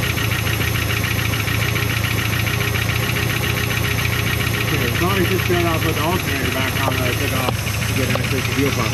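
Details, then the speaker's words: Steady rough idle with a faint uneven tick on a 1975 Chrysler Cordoba first start after sitting, fed from a fuel bottle, alternator off; possibly an exhaust leak, source unconfirmed; motor a little sticky but sounds pretty good. "Sounds like [Music] an exhaust leak somewhere. Odd sound. Motor is a little sticky, but not not horrendous."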